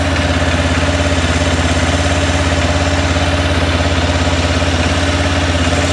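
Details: 2006 Arctic Cat 400 ATV idling after a flywheel rotor replacement cured its no-spark fault. Steady, even low thump with no misfires, though slightly noisy because the oil was drained and not yet refilled. Healthy idle.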